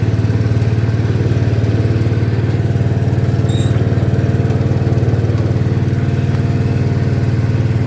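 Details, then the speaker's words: 1972 John Deere 110 single-cylinder lawn tractor, sat in a barn for years, after service with new fuel filter and oil: steady, even low thump with no misses, knocks or surging; a healthy running engine. "good on oil let's fire it up and go"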